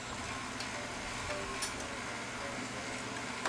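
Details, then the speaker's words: Toshiba VM42 Betamax VCR, about 40 years old, with a stuck tape: steady whirring with sharp clicks as a ridge on the cracked loading gear jumps against its mating gear when loading finishes, causing the noise. "See that? Now this ridge is running up against the gear here. That's what you hear. That's the noise you hear."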